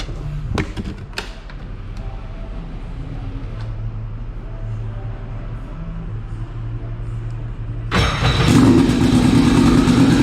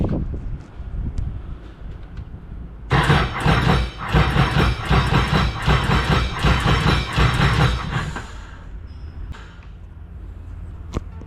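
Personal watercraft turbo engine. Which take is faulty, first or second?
second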